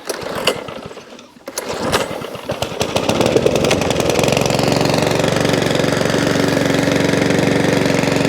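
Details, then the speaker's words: Mountfield 414/416 self-propelled mower pulled from a landfill tip, previously wouldn't fire, primed and pulled: coughs and catches, then a steady even single-cylinder beat, some oil coming out the exhaust, not hunting. Normal running. "there you go bit of all coming out the exhaust you hear it not hunting that's good"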